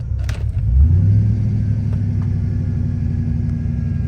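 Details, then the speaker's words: 2000 Chevrolet Silverado 5.3L Vortec LS with Brian Tooley Stage 3 cam and 92mm aftermarket throttle body, AC on, shifted to park: idle hangs high with a steady drone and only slowly drops; owner suspects throttle position sensor. "Kind of gets stuck up there on the RPMs, but sometimes it'll drop down eventually."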